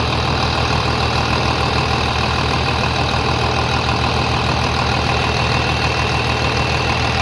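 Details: 3588 at 7,338 hours, idling on a freshly rebuilt engine with new cylinders and pistons; steady, even, smooth low beat with no knocks or misses, very quiet; a slight line leak was found, to be tightened; normal diesel idle.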